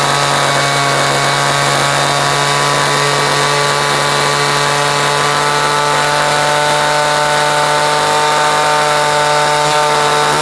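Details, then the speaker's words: Vintage Homelite edger, a free yard-sale find now repaired, with a governed engine that doesn't rev up much: a steady, buzzy two-stroke note at even speed with no stumbles or misses. It idles well, and the engine is running healthy. "It idles good. It doesn't really rev up because it's governed, you know what I mean."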